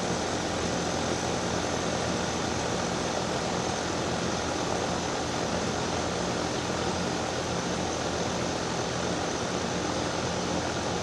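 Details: Daikin DX14 2-ton outdoor AC unit starting up: extremely loud, steady roar with a low hum underneath from the scroll compressor.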